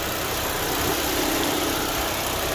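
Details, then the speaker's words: Chevrolet Sonic 1.8 after replacing the faulty camshaft solenoid that caused ticking and cam codes: smooth, even idle with steady hiss, no ticking, idle no longer fluctuating, no check engine light or camshaft codes after road test. "Всё, никаких чекненнов, никаких ошибок по камшафтам, распредвалам. Стука нету, оборота не плавает, фен постоянно боит."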